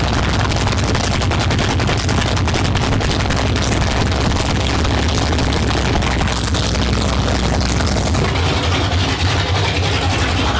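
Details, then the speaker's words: 1972 Ford Maverick with a freshly rebuilt 317 V8 on its first start, no exhaust fitted, transmission fluid overfull. A loud, deep, lumpy open-exhaust idle with crackle, a steady beat and no misses. Normal idle. "I'm going to fire this thing up real quick I know there's no exhaust on it yet so it is pretty loud so I don't know how well the camera is going to pick it up or my mic anyway"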